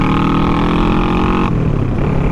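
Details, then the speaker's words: Small 48-hour-challenge motorcycle (the 360) running: steady buzzy engine note at even pitch, easing off cleanly; runs smooth and healthy. "so much better and of course little Smokey over here it runs you just got a put a battery to it"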